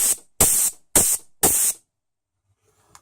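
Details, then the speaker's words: Shift solenoid from the A340E automatic of a 2004 Isuzu Rodeo 3.5 V6, with intermittent top-gear trouble, bench air-flow tested: sharp air bursts while normally open, then silence once powered. Seals fully with no leak. "but it's normally open and then when we put power to it it'll close it off and when it's closed off that's when it should not be leaking"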